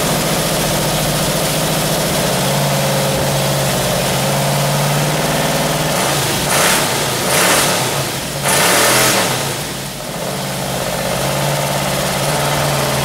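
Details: 1978 Camaro 350 engine warmed to 190 degrees with exhaust back on, idling and blipping; light busy clatter of rattling valve lifters, which now need resetting.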